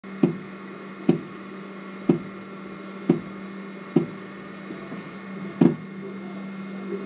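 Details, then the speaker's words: FlashForge Adventurer 3 Pro 3D printer while printing: sharp single clicks about one a second, slightly uneven, over faint motor hum; extruder clicking/skipping before repair, cause not confirmed, extruder wheel replacement planned. "all right got a flash Forge Adventure 3 Pro lately it's been clicking when it's printing so let's see if we can fix"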